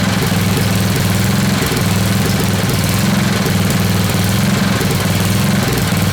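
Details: Old Craftsman 10hp Tecumseh riding mower, rebuilt water-damaged engine, not yet warm, choke partly on, rpm raised, fuel spritzed in: loud chugging on its own, uneven and hunting; rough running, owner suspects temporary fuel feed not high enough.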